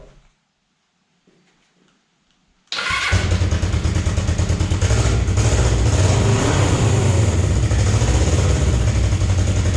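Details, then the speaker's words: Damaged Suzuki GS500 parts bike (bent forks, broken gauge cover), started with the clutch held: it catches instantly and settles into an even, steady idle with no stumble, smoother than the other GS500. A normal start and idle. "as you can see it starts right up this engine runs even smoother than that engine"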